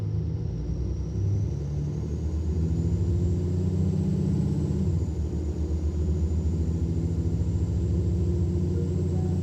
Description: The Turbo is whining, which is not normal for these OM457 hla/eev engines.